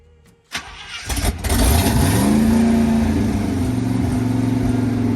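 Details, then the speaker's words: Abandoned 1980 International Scout II whose engine was seized with rusty cylinders, now freed and still burning off diesel and crud. A brief crank catches quickly, revs up and settles to a smooth, even run with no knocks or misses. It still needs a carburetor and has an ATF leak. "This one seems like it wants to run real well, actually, in my opinion."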